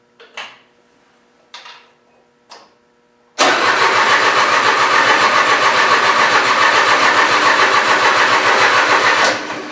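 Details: Mitsubishi Satoh S470D Buck tractor diesel after new transmission/hydraulic screen and new fuel lines and filter; several short cranking bursts, then catches into steady, even diesel clatter; normal start and idle.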